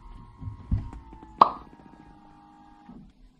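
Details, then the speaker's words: 2015 Lexus NX200t, ABS air-bleed procedure run from an Xtool D5S scan tool: a few clicks, then a very quiet steady whirring hum for about 1.5 seconds before cutting off; the ABS pump cycles normally. "hopefully you heard that pump that it's a very quiet pump but the pump is turning on and it's got nice instructions that walk you straight through the procedure"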